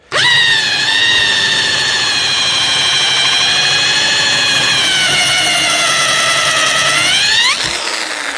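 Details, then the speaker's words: Small drill with a core bit meant for plasterboard or soft wood, cutting rear suspension bush rubber; shrill whine sags as the bit binds, then recovers. Struggling, overloaded by sticky rubber residue on the cutter. "I'm sure you can hear how much the drill's struggling. This is a heck of a job for this drill. It's only a little drill."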